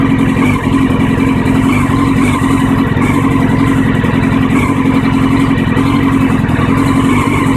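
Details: 1999 Honda CBR600F4, carbs cleaned and balanced, new air, fuel filters and plugs: loud four-cylinder idle with uneven stumbling beat; still rough idle, runs badly at low rpm and in town but fine once revs rise; cause unknown.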